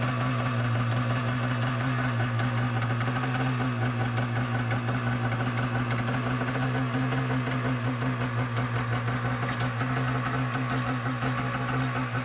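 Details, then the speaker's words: Yamaha Superjet stand-up jet ski, two-stroke, being returned to stock: it starts right away but a harsh metallic grinding rattle runs over the fast idle, so it is shut off. Starter bendix grinding on the flywheel. "so that's what happened we started it up it started right away but there's like this noise not a good sound so shut it off"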